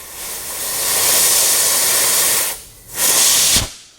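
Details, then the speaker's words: 2003 Honda Element leak-down test on cylinder 2; steady rushing air hiss swelling and cutting off in bursts confirms a burnt, defective exhaust valve; the head must come off. "that's it my friend we confirmed the diagnosis on this 2003 Honda was correct there is actually defective valve and it's a exhaust wealth on number two cylinder"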